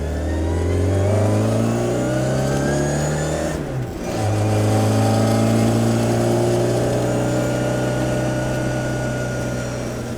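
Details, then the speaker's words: 1968 Austin Mini Cooper cafe racer with a 3.10 final drive and cross-pin diff, on the road: clear whine rising with engine speed through each gear and easing at the shifts, the normal sound of healthy straight-cut gears. "Yeah. Man, the straight cut gears. It's the best sound. They really are."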